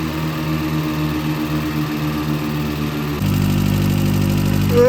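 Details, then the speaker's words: 65k-mile VW Corrado G60 at first running after starting attempts: light quick ticking over the idle that smooths out as revs are raised; owner suspects a hydraulic tappet ran dry of oil; hydraulic lifter tick. "Obviously, it was a little bit tappy at first, one of the hydraulic tappets, because they're oil-filled tappets, I guess, to just run dry."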